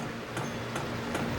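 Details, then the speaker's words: Hcalory HC-A04 5-8 kW portable diesel air heater with ceramic ignition, starting up: soft regular fuel pump ticks about every 0.4 s over quiet background as combustion begins; normal fuel pump ticking. "There, I can hear the fuel pump, and I just heard it combust inside."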